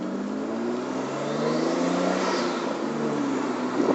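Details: Nissan Cefiro A31 with RB25DET engine and Silvia S13 transmission, strange extra noise under acceleration as the engine pulls up smoothly with a rising tone; source unclear.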